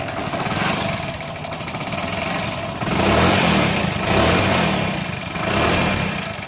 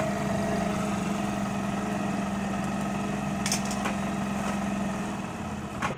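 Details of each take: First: Hero Honda Splendor Plus single-cylinder before a half-engine (top-end) rebuild has an uneven, lumpy idle with a rough rumble that rises and falls and smokes heavily; worn top end. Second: Hero Honda Splendor Plus after a half-engine (top-end) rebuild holds a steady, even idle with a low hum, no knocks or misses, and no smoke where it smoked heavily before; normal idle.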